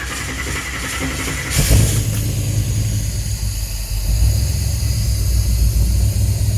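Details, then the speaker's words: 1950 Cadillac hearse converted to motorhome, cold start at room temperature: catches then lumpy, stumbling idle, sounds like missing on one side; distributor was moved so timing unknown, fires on all cylinders when revved. "it sounds like it's missing out of this side like I said the distributor got moved so I don't know where the timings at right now"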